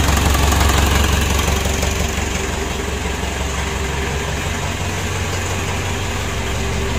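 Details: Mitsubishi Pajero Sport Dakar 2012 diesel, first start just after an engine rebuild, thin smoke from the oil used on the cylinder liners: steady idle with an even clatter of about three beats a second, no knocks or misses; normal idle.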